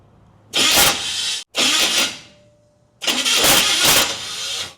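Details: 1979 GMC Sierra abandoned 25 years, fuel poured down intake, 5 gallons fresh gas: short cranking bursts that catch and roar then die, three tries without steady idle; timing seems too advanced, fuel pump being tested.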